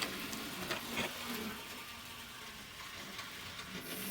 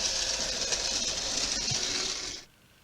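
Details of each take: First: Graham Farish N-gauge Hall locomotive that squeaked, with the squeak traced to the armature bearings, which were lubricated. After reassembly, running in the forward direction: a faint, thin, steady high whir from the small motor with no squeak; the drive runs smoothly. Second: Graham Farrell 'Sketty Hall' model locomotive running on a rolling road: small motor whir with an intermittent high chirping squeak near the front. Isolated by lubrication to dry armature bearings.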